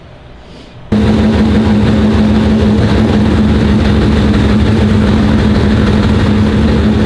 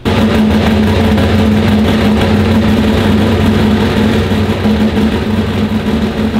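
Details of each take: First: Turbo Trans Am of about 1200 hp on the dyno after fixing a possibly mislabelled sensor (maybe the MAP sensor) that had it running soft. A loud full-throttle pull holds a firm steady drone for over ten seconds with no stumble, plus a fireball. It sounds better and made more power. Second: Turbo Trans Am of about 1200 hp on the dyno: a long, heavy, laboured pull where the revs hang flat and never swing up as they normally do. Boost isn't building because the wastegates are being held open.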